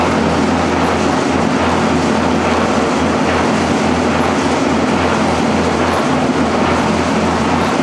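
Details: Engine on a home-built run stand, fire-up after fitting a new old-stock fuse: steady, even drone with a constant low hum, no stumbling or cutting out; running normally.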